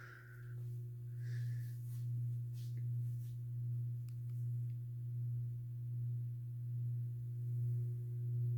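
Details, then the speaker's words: SMC-UB42 ceiling fan, owned about three years, on low speed: a steady low hum with a gentle, even swell about once a second. It runs normally with only a mild hum, quieter than on high. "it's not as bad on low for like hum so sorry I have my hands in the way so here's low speed"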